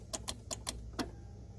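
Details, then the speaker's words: Kia Soul no-crank: sharp, irregular starter relay clicks with no cranking. A test light confirms a complete circuit and power at the starter, so the starter motor has failed and must be removed. "so we have a bad starter so we've got to remove the starter"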